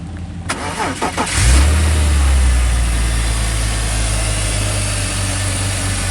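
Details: BMW X3 with M54 petrol six, after replacing two bad ignition coils that caused misfires: cranks briefly, starts cleanly and settles into a smooth, even idle; misfire codes still stored until cleared.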